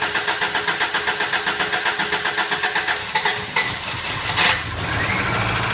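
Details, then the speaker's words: 2001 Subaru Outback with rebuilt engine (new head gaskets, machined heads), first start after install: steady cranking for about three seconds, catches cleanly and settles to an even idle with no knocks; healthy start. "Look at that! Would you look at that? Sounds good. Yay!"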